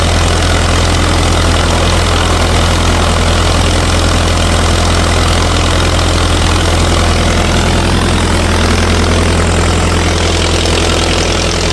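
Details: 1964 LeRoi 125G1 trailer air compressor, straight-piped, warming up with the output wide open so pressure stays low: loud, deep, even drumming with no misses or knocks; engine runs normally.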